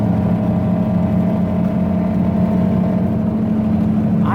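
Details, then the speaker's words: Stanced Mazda Miata at highway speed, with a check engine light that flashed earlier: a steady low speed-dependent drone under road noise that stays in neutral; tire, differential or wheel bearing suspected, owner thinks a blown differential, unconfirmed. "I don't know if we're talking tire noise differential noise wheel bearing combination of the three um thank goodness here is my exit uh even in neutral you have that noise"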